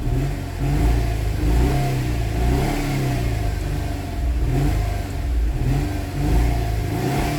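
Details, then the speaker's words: Nissan Maxima, no codes; cylinder 5 (bank 1) identified by a balance test, other cylinders got worse when disabled: lumpy uneven revving with periodic stumble, clears above 3,000 rpm; suspected coil arcing misfire. "Yeah, I swear to you, this has to be an arcing condition, because it wants to clear up over 3,000 RPM."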